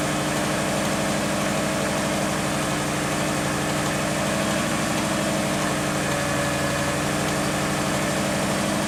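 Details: Subaru engine refreshed top end only (head gaskets, timing), bottom end not rebuilt; steady idle with fine even tapping following engine speed, owner suspects early rod knock, before adding Lucas oil stabilizer.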